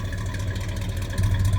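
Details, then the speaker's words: 1976 C10 Trailering Special with a 454 big-block V8, owner says not missing or smoking: deep, steady low burble with an even beat, no misses or ticking; normal idle. "dual truck sounds good i said it's not missing don't smoke don't peck don't pick that's saying a lot for a big walk"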